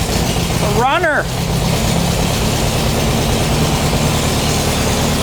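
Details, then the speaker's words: Rebuilt 1600cc dual-port VW engine in a dune buggy, first start. A low, uneven chugging idle with a brief shout over it; it runs fine otherwise but won't hold idle. Owner suspects the carburetor internals or fittings. "the engine seems to run great all I got is it doesn't want to idle so we'll probably needs a little bit of tinkering inside the carburetor"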